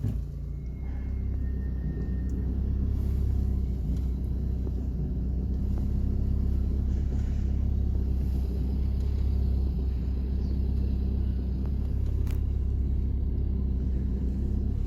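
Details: Volvo V40 driving steadily in third gear around 60, most noticeable cold: heavy low rumble with uneven rattle underneath, identified as a worn dual-mass flywheel with excessive play.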